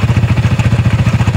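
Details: Yamaha Sniper 155 VVA motorcycle suddenly noisy at idle: fast, even ticking of about eleven beats a second from the cylinder head. Mechanic suspects cam bearing or rocker arm from oil starvation; tensioner was previously adjusted.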